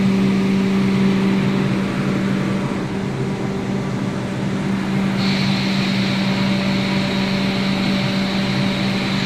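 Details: 3000 Class hybrid train: loud steady drone with a strong low hum, then a high thin whine joins halfway and holds; source of the noise unknown.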